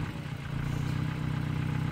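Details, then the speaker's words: 1977 Honda Civic CVCC, Hondamatic automatic, 97,803 miles, overhauled engine and carburetor, warmed up with no choke. Even, low, steady four-cylinder beat with no stumbling or misses. Normal warm idle. "Choke is very important for starting a cold motor, and today I started it with full choke, got it until the RPMs were nice and smooth, and put it in half choke for a couple minutes until the engine warmed up and no longer requires the choke to run."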